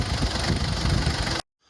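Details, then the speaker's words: 2004 Mazda B2500 diesel idling on a vegetable oil and diesel mix before a Synergy 4 tuning box is fitted: an uneven, lumpy tick-over with a slight stagger, attributed to the fuel mix, though quieter than before. Rough idle. "Get a little bit of a lumpy tick over, but that's due to the vegetable oil and the diesel. But all in all, a lot quieter."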